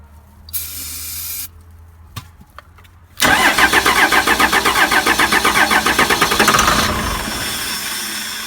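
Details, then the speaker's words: Cheap 12-valve Cummins diesel, sat about a year, cranked with starting fluid: starter cranks about four pulses a second with a few weak catches but never runs on its own; fuel to the P-pump confirmed, owner suspects wiring. "So we'll give it a little shot to see what happens. Went a little bit. Tried a little bit more."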